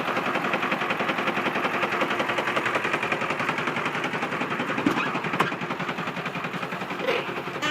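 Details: 2002 Ford F-450 7.3 Powerstroke diesel at idle: a sharp, fairly regular knock about twice per second over the diesel clatter; owner suspects a bad injector.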